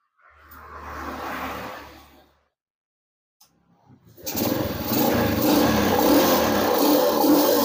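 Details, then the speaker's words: Yamaha Jupiter Z motorcycle after repair: starts and idles evenly with no knocking; earlier clunking, mistaken for connecting-rod trouble, came from a nearly detached loose magneto on the left side, now fixed. "suara kelotok-klotoknya sudah hilang. Jadi tadi positif suara kelotok-klotoknya ya. Itu dari sebelah kiri magnit kendor ya."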